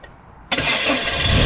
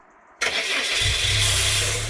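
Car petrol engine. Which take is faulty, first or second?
second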